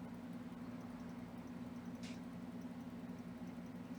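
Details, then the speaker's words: Xbox Series S, overheating shutdowns from slow fan, after fan speed potentiometer mod: soft, steady hum and even airy whoosh, no rattle or whine; fan now faster yet quiet. "Now it's the fan is fast. I can feel the ear and it's not very no like it's not a lot of noise."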